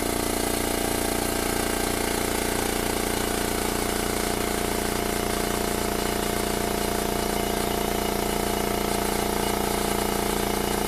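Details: New Makita MAC700 2 hp oil-lubricated compressor with a 2.6 gallon tank, filling from 0 psi to about 130 psi in about 59 seconds: steady, even, low bassy pump chug with a fast regular beat, no knocks or rattles; running normally.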